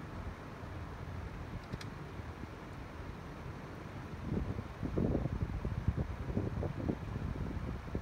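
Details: Three air-source heat pump setups at various temperatures, recorded on an iPhone 7 from 1 to 3 metres: a quiet low fan whoosh and a soft compressor hum, steady with some wind noise, running normally.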